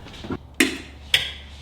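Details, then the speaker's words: Yamaha G19 golf cart (48V) upgraded to a 48V Dakota Lithium battery: two crisp, sharp clicks about half a second apart as the solenoid pulls in, engaging properly. "Selenoid works. Hear that click?"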